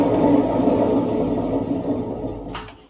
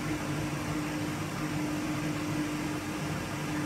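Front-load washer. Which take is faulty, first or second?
first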